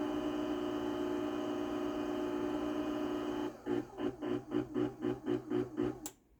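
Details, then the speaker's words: 20-year-old heavily used garage door opener running: even quiet motor hum, then soft pulses about four a second as travel ends and it stops; quieter than a brand-new Chamberlain DC belt drive. "So you can hear that 20-year-old opener, even though it's been used a lot, is quieter than this brand new opener."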